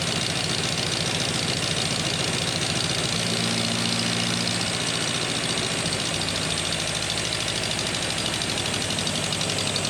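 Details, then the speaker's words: Engine in the Ninety, started on a little choke with fuel pumps on, settles into a steady, even run with a constant low throb and no misses; normal running, though ignition timing is still not set right and the cooling system is not yet refilled. "well it runs really perfect oh thank goodness for that um that's the longest it's ran it's first fight life really sounds okay"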